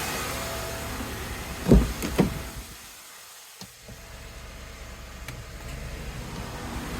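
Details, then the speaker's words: 2011 Acura CSX after installing a new AC compressor clutch kit (same as Honda Civic Si) over an intermittently working clutch, AC switched on at idle: a couple of sharp clicks, a short lull, then a faint steady hum as the clutch engages properly. "It's on. Woo! Yeah. Finally, AC's back."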